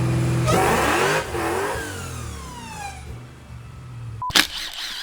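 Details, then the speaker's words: Hellcat 6.2L supercharged V8 swapped Nissan 350Z on dyno after aggressive cam, smaller blower pulley and ice tank: loud pull sags and falls away mid-run; blower bypass valve opening, suspected throttle position error. "well it uh seems we have an issue the bypass valve on the blower is opening we think we're getting some kind of throttle position error so hopefully it's a bypass valve issue and not an issue somewhere else in the wiring or something like that"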